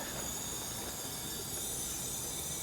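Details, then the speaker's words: B20 engine leak-down test, engine not running: steady airy hiss as test air escapes out the exhaust past an open exhaust valve because the crank was not set at top dead centre; about 90% reading, 10% leak. "There we go, that's the exhaust. Here we go. It's closing, we still hear it leaking out the exhaust."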